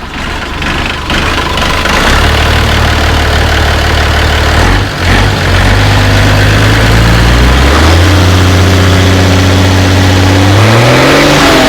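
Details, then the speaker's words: Mercedes truck OM352/366 diesel swapped into an MB Trac 1300/1500 with different manifolds; big diesel fires, holds steady low idle, revs cleanly and drops back, no knock, less turbo whine than before; normal revving and idling. "it sounds slightly different now with the different manifolds there was more of a whining from the turbo before we've lost slightly we've lost some of that slightly the way the exhaust has done differently but um it"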